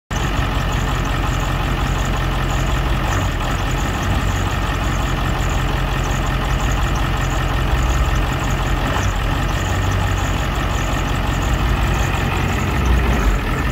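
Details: 2001 Ford E450 at idle: steady loud low idle with slight unevenness and occasional stumble in the rumble; rough idle, cause not pinned down.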